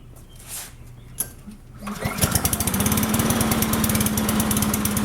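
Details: Cub Cadet Signature Series push mower with bag, first start after look-over, expected it might smoke from oil; starts on one pull and settles into quick, even chug with steady pitch, running smoothly and healthily.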